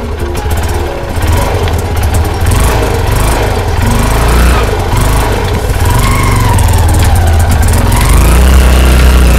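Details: Hero Karizma motorcycle running after an annoying chassis rattle was fixed by properly securing a chain-area part: steady engine picking up revs, no rattle or loose-cover buzz, normal running.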